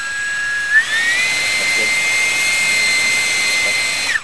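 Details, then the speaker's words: 10-blade EDF fan, first balancing test run with the spot at the outside: high whine climbs to a held pitch with a slight rough flutter. Small remaining fan imbalance and vibration. "okay so you heard a little vibration so let's move to one other spot and we're just moving in little increments"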